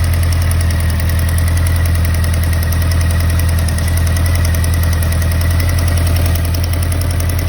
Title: 2013 honda cb ticking noise